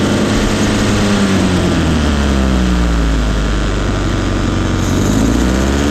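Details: 1971 Datsun 510 with Weber 32/36 carburetor, first smooth start since 1993 after rough idle and no-start were fixed by correcting timing at the distributor adjustment plate: steady, even idle with deep low drone, no misses.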